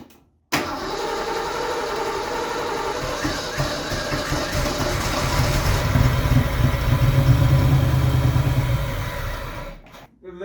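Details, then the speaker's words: Fox Body Mustang off the road about 20 years, first start attempt on starting fluid: long steady crank with a few weak uneven catches that never run, then stops; fuel starvation, only sprayed fluid in intake burning. "like no fuel like that was just what was in the intake for me spraying it from spring"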